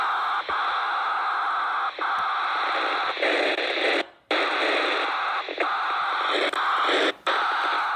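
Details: MTX8000 radio puts out a steady loud hiss like open-channel static, cut by a few short dropouts; cause unknown, loud static noise.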